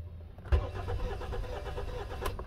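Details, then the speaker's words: 2018 Hyundai Sonata with a cylinder 3 misfire, compression test: starter cranks in quick even pulses without firing, gauge reads 0 compression on that cylinder; piston, rings or head damage not yet determined. "Bueno amigos, nos está marcando más que nada 0 de compresión."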